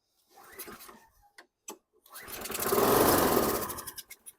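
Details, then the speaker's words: 2010 Toro Recycler mower with Briggs & Stratton 6.75 HP engine and Champion RJ19LM plug. A few pulls, then it catches with a rattly roar, smokes heavily and dies. Starts then stalls; oil very dark but not overfilled. "Okay, start and stall. A lot of smoke. A lot of smoke."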